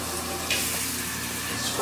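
Steady, even hiss of water spraying with no sputter or pulsing; the sprayer is delivering a normal, uninterrupted flow.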